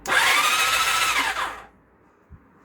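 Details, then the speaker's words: Temporary engine fitted to a project motorcycle, cranked with the spark plugs out after fixing a loose starter-solenoid connector: a high, even electric whir for about 1.5 seconds while oil pressure builds. A normal, free starter crank. "there's no spark plugs in it oil pressure is building that's good"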